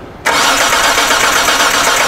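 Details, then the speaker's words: 2007 Hyundai Santa Fe 2.7L crank-no-start with acetylene fed into the intake behind the MAF sensor: steady fast cranking, no catch; spark and injector pulse present, so fuel delivery/pressure is the suspected problem. "됐어~ 여전히 크랭크가 이상하죠 하지만 여러분! 이것은 단지 확인입니다 여기 연료에 문제가 있습니다"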